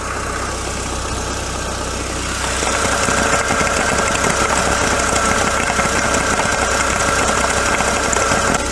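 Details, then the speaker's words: Citroën Saxo petrol engine burning oil, idling with dipstick out and crankcase vacuum present: loose uneven churning patter about three per second; gurgling at idle, owner suspects crankshaft slapping oil though level believed not overfull. "what is that gurgling sounds a little bit like crankshaft slapping the oil"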